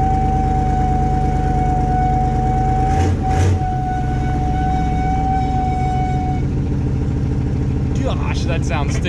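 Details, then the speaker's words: Chevy K5 Blazer, 350 5.7L V8, 4-inch lift, first start of the year after sitting, exhaust leak; loud steady high-pitched whine over low rumble from rear differential in gear, only in drive and reverse; owner suspects it needs oil moving around. "oh that rear end man that almost hurts my ears to listen to that"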